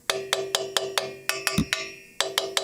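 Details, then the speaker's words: 12-year-old Ford F-150 with an unexplained noise under acceleration: hammer taps about four a second on the passenger-side catalytic converter ring clean and short with no loose buzz; converter solid, not the noise source. "now that one sounds pretty solid let's move to the other side get under here here's the driver's side cap"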